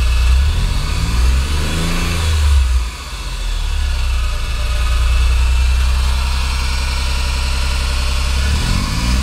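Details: Deep, rough rumble at idle and on each rev, rising and falling with engine speed; compression checks out, timing correct and VTC solenoids working; cause not yet found.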